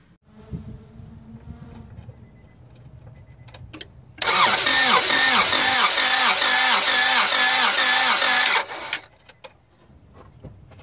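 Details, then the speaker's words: 1998 Honda Accord towed in, cranked on a jump starter: the starter spins the engine fast and light with an even whir and no compression chuffs, indicating a broken timing belt. "let's listen yeah that don't sound good broken timing belt"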